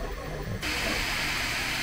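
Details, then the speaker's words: Bambu P1P 3D printer during an overhang and bridging test print: soft airy hiss jumps abruptly louder as the part cooling fan speeds up for steep unsupported overhangs, then holds steady; normal fan ramp-up. "you can hear that it's pumping up the fan speed a little bit quicker which is really helping with overhangs with no support"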